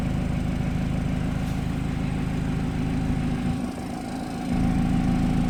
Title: Bmw f30 weird noise 20 to 30 secs after startup